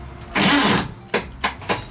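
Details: Air-cooled VW engine at tech session, started after reworking ignition wiring with timing unknown: catches with a harsh burst, then sputters in uneven pops about every third of a second; rough start, cause not identified.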